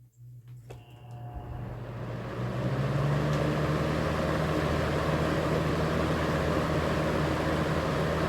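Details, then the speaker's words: Early-1990s 20-inch Robeson 2393 box fan on high speed: steady drone with a rhythmic wobbling thrum about three times a second as it shakes and scoots side to side; warped blade hub. "They shake quite a bit. Kind of starts scooting over to the side to side."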